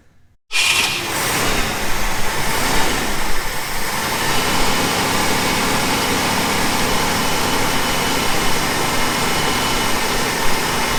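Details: 1971 Ford F100 Bumpside barn find pulled from long-term storage, started on fuel poured into the carburetor float bowl: catches right away and settles into a steady, even, deep rumble with no misses; starts and keeps running.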